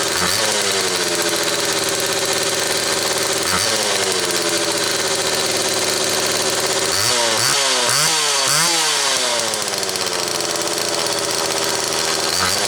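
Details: Homelite XL Automatic chainsaw after repair (fuel issue had forced full-choke running; new bar stud), cold morning, engine half warm; started in about six pulls; crisp two-stroke buzz holds steady, then quick throttle blips climb and settle cleanly; high speed close enough; normal running.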